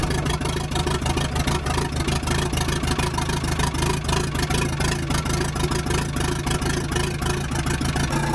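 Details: Telehandler started right up after the sparking battery terminals were replaced and the battery was charged; steady, even diesel idle with a regular low beat around 200 a minute and no misses or knocks; the engine runs healthy.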